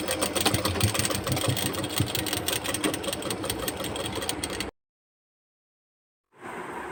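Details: Foot-treadle sewing machine after fixing and oiling: light, even whirring with about three soft beats a second and no knocking; running normally.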